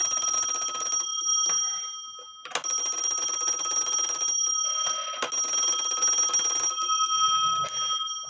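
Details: Black Forest Postman's clock with alarm, no known maker, dated 1840 by an expert (owner estimated 1850–1880), after bell post tightened with tape on threads: loud, bright bell rings in fast bursts with short gaps; clean strong strike, alarm bell working normally, louder.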